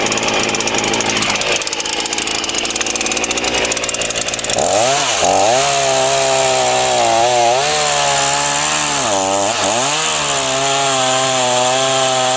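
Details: Titan TTL759CHN petrol chainsaw, heavily used (about five to six tons cut this winter), run on super unleaded with semi-synthetic two-stroke mix: revs climb high but sag and recover repeatedly, bogging at high revs; owner attributes it to an incorrect carb low setting.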